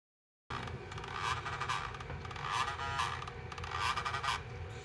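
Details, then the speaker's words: Sharp MD-SS503 (Auvi/1-bit) MiniDisc player under test: harsh grinding and scraping bursts with squeaky chirps about once a second, sled fails to reach home position; broken main gear on the gearshaft, later replaced with a spare. "not good! I've heard enough broken gears in Sharps to know one when I hear one..."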